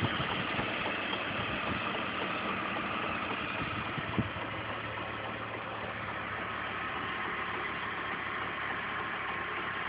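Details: BMW E46 engine at idle: a light, loosely regular clack about three to four times a second over the idle; cause unknown.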